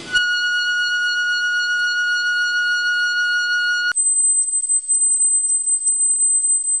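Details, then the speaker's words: Brake squeal noise: a steady, shrill tone holding about four seconds, then a higher, pulsing screech; typically occurs at 0–10 km/h with medium brake pressure near the end of a stop. "esse ruído que iremos falar agora é o mais crônico é aquele que mais incomoda é o ruído assil e o nome técnico dele é squill Noise"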